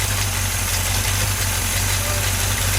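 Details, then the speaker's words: 283 small-block V8 for a 66 Chevy truck just fired up on the engine stand, chilly morning, primed to oil pressure: steady even low rumble, no knocks or misses; idling smoothly. "It fired right up too. I spun it over till it got oil pressure. And pumped the gas 2 times and it fired right up."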